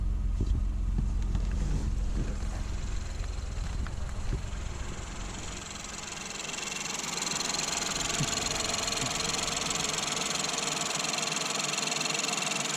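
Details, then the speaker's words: Ford Fiesta SFE three-cylinder with 71,000 miles, no warning lights, fires right up: even, steady idle with no knocking, ticking, or belt or tensioner squeal. The slight shake is considered normal for a three-cylinder. "Don't hear any noises, no belt squeals or tensioner noises or anything like that. So it sounds like everything's okay here."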